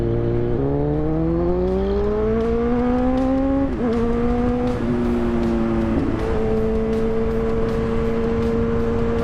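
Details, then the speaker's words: Kawasaki Z1000 on an aftermarket exhaust, riding up through the gears to a steady cruise: clean exhaust note with no pops or backfire after an ECU reflash with a Woolich bench harness cured the heavy backfiring. "If you noticed, there's no backfire anymore, which is probably what I wanted the most for quite a while."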